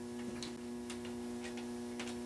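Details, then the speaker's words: Car relay bench test with the relay's switch side wired in line with a metal halide light and the coil triggered by a jumper wire from a 12 V battery: crisp clicks as it pulls in and drops out, over a buzzing ballast hum. Normal relay click. "I've just put the switch side of the relay in line with this metal halide light and now I'm just going to activate it with my jumper number wire"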